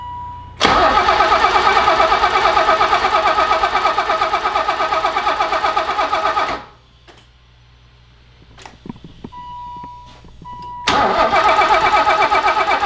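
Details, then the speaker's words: 1984 BMW 318i E30 turbo stroker build, after moving crank sensor plug to get engine speed and spark: steady cranking about six seconds without firing; lift fuel pump suspected bad or unprimed. "now if it's a it sounds like a pump that's not primed so maybe with some fuel she'll run"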